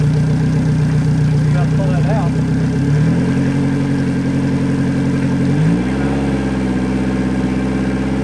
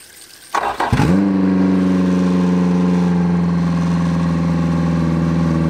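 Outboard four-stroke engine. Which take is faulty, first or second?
second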